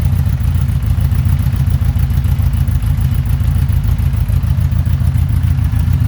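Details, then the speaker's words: 1982 Honda Gold Wing Aspencade, cold, just after new exhaust without crossover: deep even low burble, steady firing pulses, no knocks or rattles; normal cold idle, sounding much better. "[Music] that's a lot better she is cold so she's idle and low [Music]"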